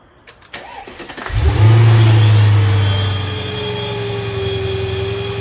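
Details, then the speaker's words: 2003 Mercedes CL55 with a newly replaced ABC tandem pump, primed by hand after refilling: engine catches with a low roar, then a steady mid-pitched whine over idle from the pump; cause unconfirmed. "huh what's that noise it's the pump"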